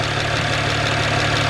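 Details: BMW 1M salvage-auction rebuild at a short stretch of smooth, even idle with a steady low throb and no tapping or misfire; some smoke was seen just before, but the engine sounds healthy here.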